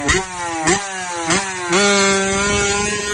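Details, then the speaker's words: Royal Enfield Classic self-start: hard thud at each starter engagement, three in quick succession before the engine catches; worn one-way starter clutch bearing causing the knocking. "ನಿಮಗೆ ನಿಮಗೆ ಈ self ಹೊಡೆಯುವಾಗ classic ಗಳಲ್ಲಿ ದಾಡ್ ದಡ್ಡು ಅಂತ sound ಬರೋದೆಲ್ಲ ಬಂದು ಈ bearing gate ಬಿದ್ರೇನೆ ಇದು ಇಲ್ಲ ಇದರ ಸರ್ಫೇಸ್ ಅಲ್ಲಿ ಡಿಂಪಲ್ಸ್ ಬಿದ್ರೆ ನಿಮಗೆ ತುಂಬಾ ಹೊಡೆದು ಹೋಗೋ ಮಟ್ಟಕ್ಕೆ ಸೌಂಡ್ ಬರುತ್ತೆ"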